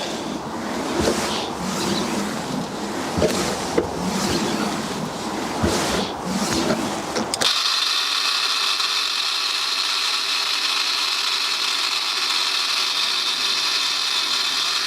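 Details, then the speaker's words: BMW 760Li (E65/E66) automatic boot lid hydraulic pump, motor refitted: a loud, steady high whine for several seconds, but the boot won't lift. The fluid isn't low or leaking; the owner suspects air in the system. "So it just doesn't want to lift up. As you can see, the motor is working, but it just doesn't give it that initial push, and it seems very, very noisy."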